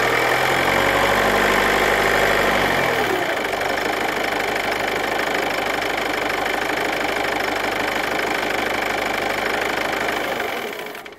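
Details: Ford Kuga MK2 180PS revved up to 1600 rpm: a light, fast ticking rattle at about 3–4 per second, staying steady as revs are held.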